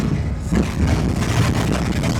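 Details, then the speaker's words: Ford Galaxie V8 that idled fine, now driven under load: the burble goes ragged with irregular stumbles over road noise; a misfire under load that does not clear by driving. "Oh yeah, that doesn't sound very good. Oh yeah. You know, you think you can just like drive something and it's just going to clear up magically just by driving it."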